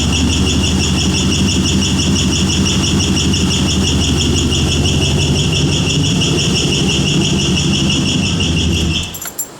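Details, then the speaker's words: Car with a 5.3 V8 swapped in for a 4.8, slightly cold, throttle held just above idle because there is no idle air control valve. Rhythmic screeching metallic squeal at about three pulses a second; owner suspects the starter or flex plate. "it's like a screeching squealing metal circular noise like R rhythmic it doesn't sound like it's no knocking no tapping nothing"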